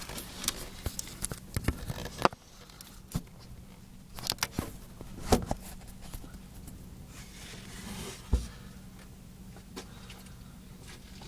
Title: Creaking noise when turning